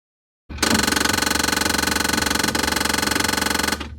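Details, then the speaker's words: 22-year-old GE Monogram built-in side-by-side refrigerator: loud harsh rattling grind pulsing about four times a second for three seconds, recurring about every 30 minutes; traced to a defective freezer-to-refrigerator damper assembly, later replaced. "We noticed this noise coming about every 30 minutes, and I narrowed it down to a defective damper leading from the freezer to the refrigerator."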